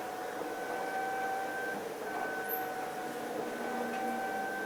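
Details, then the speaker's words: Flex CNC rigid tapping last row of holes on a cart top fixture plate, after controller software fix for tapping cycle; clean steady spindle tone dipping and returning per hole, no knocking or chatter, healthy tapping. "all right on the last row we got a few more holes 59 1/2 minutes we're right on that 1 hour mark let's see if we can watch these last few being tapped"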